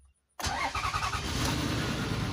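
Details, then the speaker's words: Toyota Sienna after its crank/starting sensor wire was checked: the engine catches straight away and settles into a steady, even idle. A normal, healthy start. "Okay, you can see that the engine is now running. Okay, so let's go and see. You can see what I'm doing here. You can see that the engine is now running."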